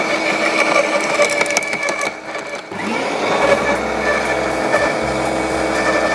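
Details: LawnMaster 2800W quiet electric garden shredder, blade-to-plate gap set: steady hum as thin branches crackle and snap through, speed barely dipping, self-feeding without the plunger; cut up really nicely, normal shredding.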